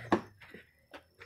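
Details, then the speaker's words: 2002 Chrysler PT Cruiser with the hub turned by hand: dull clunks and a short gritty rattle from a loose, worn front wheel bearing; brakes had overheated and ruined one bearing. Replaced. "you can hear the bearing is loose and actually makes this noise"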